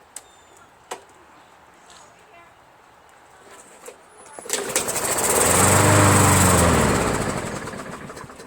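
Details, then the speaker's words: Roadside-found MTD 500E 21-inch Briggs push mower: after a few pulls it catches, runs a few seconds and dies, starting only on prime. The owner suspects a dirty carburetor keeping fuel from the emulsion. Runs only on prime, then dies. "But it only starts up on prime, so which means the carburetor is probably dirty, and it'll run with just the amount of prime that you push in there, but fuel is not able to reach the emulsion."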